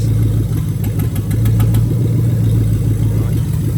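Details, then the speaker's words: 2000-2003 Lexus LS430 3UZ-FE VVT-i V8 idling on a new engine harness test. Injectors are unplugged one by one, and a lumpy, uneven beat with one pulse dropping out marks the induced misfire from a dead cylinder. "I'm going to go around to each injector and I'm going to pull it off one by one. And therefore you're actually going to hear the engine misfiring."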